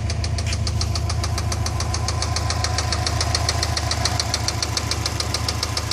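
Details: Subaru EJ206 engine running evenly at idle: steady sharp ticking knock, about three and a half per second, over an even idle hum; engine knock, cause not yet pinned down.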